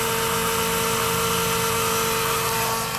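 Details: 1994+ Ford F250/F350 7.3 PowerStroke with electric fuel pump conversion, pre- and post-filter: steady high-pitched electric whir holding an even tone, no surging or rattle. Fuel pump running normally; pressure gauge agrees.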